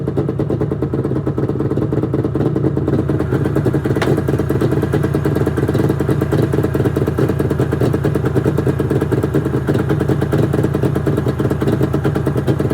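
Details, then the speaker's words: 1996 Arctic Cat ZRT 600 two-stroke snowmobile after fuel pump rebuild, cold start: busy even crackle at steady fast idle, no stumbles or dying out; normal running. "But let's give her a few rips and see how she does with a new fuel pump."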